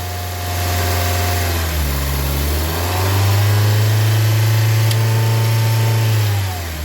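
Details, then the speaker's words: Honda Civic 1.7 VTEC after VTEC solenoid replacement/rebuild for an oil leak, revved and solenoid energized: smooth idle steps up in pitch for a few seconds then drops back evenly as solenoid switches; solenoid working, no more leak. "you here the changeing idle you can tell that I'm energizing it"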